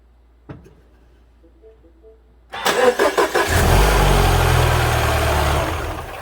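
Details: 2014 Mini R60 Countryman after fixing an intermittent no-crank by repairing the engine ground strap near the right shock tower (starter was fine), original battery: a few faint clicks, then a short crank that catches quickly into a steady idle; normal start.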